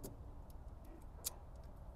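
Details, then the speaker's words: Old American truck with an external voltage regulator: sharp crackling snaps as the inline fuse on the constant-power sensing wire is pulled. The regulator's shorted internal rectifier draws constant current, draining a new battery overnight. "That's power. It's sparking."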